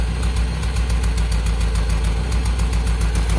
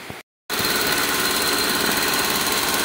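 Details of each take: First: Toyota Soluna listened to at the exhaust while idling, with the engine limping (brebet). An uneven blub-blub with missing beats; a misfire from a faulty spark plug lead, checked by swapping the cylinder 2 and 1 leads; fix is new plug wires. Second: Toyota Soluna idle after replacing the spark plug wires: steady, even idle with no stumbling or misfiring and the engine running on all cylinders; the earlier rough idle and blubbing exhaust are gone, so the idle is now normal.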